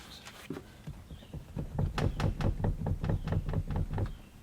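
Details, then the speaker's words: 2019 Mustang GT seat back: dull clicks and thunks, roughly two a second, as the seat back rocks back and forth; noise and play seem to come from under the plastic trim below the seat, owner unsure of the cause, dealership visit planned. "don't know if you can even hear all that noise and see the movement, but there's clicking down here, and then this seat back goes back and forth."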